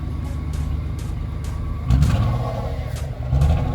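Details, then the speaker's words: 2011 Nissan Teana, two revs: loud raspy deep blat well beyond stock exhaust note from a blown muffler leaking; engine temperature also rising while driving, fan confirmed spinning at max speed. "Also the muffler is blow. Let me see if you can hear it. Rev it 2 times."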